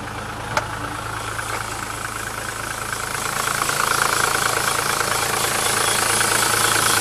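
Steady, even diesel clatter at idle, rising slightly and settling with no misses or odd knocks; sounds like a healthy running diesel.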